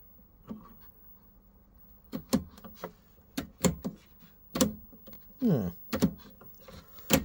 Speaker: seems to going up and down quite nicely so system switch is intact